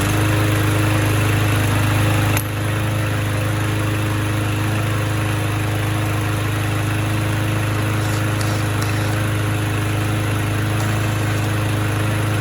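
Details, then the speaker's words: Abused, trash-picked Troy-Bilt mower, single-cylinder, missing air filter, very low compression, carburetor untouched, fresh gas, low oil, blade on, started with a drill: steady, even running with no clatter or surging, surprisingly good. "Kind of surprising. It actually seems to run pretty good."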